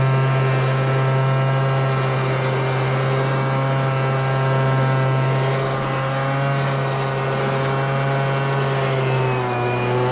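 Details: MTD Bolens BL125 two-stroke leaf blower after carburetor repair and adjustment, previously bogging and not starting: strong steady buzz holding even pitch at full throttle without bogging or surging; running clean.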